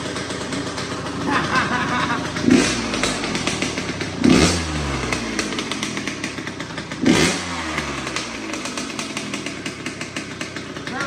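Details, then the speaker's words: 2004 Kawasaki KX85 two-stroke after a top end rebuild; sharp revs with a harsh raspy edge, each blip hanging slightly before dropping to a crackly idle. Owner suspects the shorty pipe and needed muffler packing, not confirmed. Raspy exhaust note. "I also think the raspiness is because of the shorty pipe and needing muffler packing."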